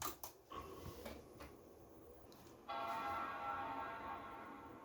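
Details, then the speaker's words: Late 2005 Power Mac G5 (2.3GHz dual-core PowerPC, GeForce 6600) powered on after reinstalling the RAM: soft click, then a clean, sustained bell-like chord that fades evenly, a normal startup chime. "there's our lovely startup chime and there we go"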